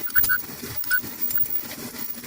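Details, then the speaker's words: Front-load dryer not spinning, drum turned by hand: short irregular high squeaks/chirps, possibly from worn drum sliders; belt appears fine. "You can hear a little squeak. I don't know, sounds fine to me. This little chirp."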